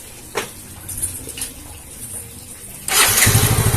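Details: Yamaha Mio J fuel-injected scooter after fuel pump IC problem and faulty spark plug cap addressed: a few quiet clicks, then catches at once and settles into a steady, even idle, fuel pressure holding at 40; clean, healthy start.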